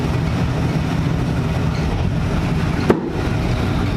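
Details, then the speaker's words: NASCAR car V8 fitted with 23-year-old MSD 6T ignition boxes and MSD Blaster coils, wires rerouted from high-voltage leads: rough, lumpy idle with a sharp pop; backfiring and misfiring, gauge shows very lean, cause unknown. "That was backfiring now. Yeah, I screwed something up. You can hear it backfiring. You can hear it backfiring like that."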